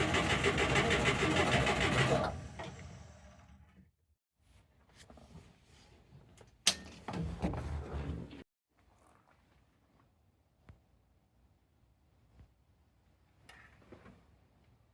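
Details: Mitsubishi Jeep J3/J10 being recommissioned, carburettor overflow under investigation: about two seconds of rhythmic cranking near 200 beats a minute, then it stops without catching; engine cranks but will not start, cause suspected, not confirmed.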